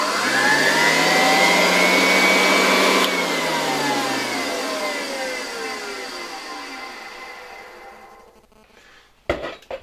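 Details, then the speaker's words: 1966 Alfa K2 (A7F) vacuum with an SK-5b motor, retested on a voltage regulator. Smooth, high, steady whine with no knocking, then an even wind-down. The earlier knocking in the suction system seems gone, apparently because the debris fell out. "Mam wrażenie, że pozbyliśmy się jeszcze na początku trochę to było słychać tego stukania w układzie ssącym. Jakieś zabrudzenia musiały tam chyba już wypaść."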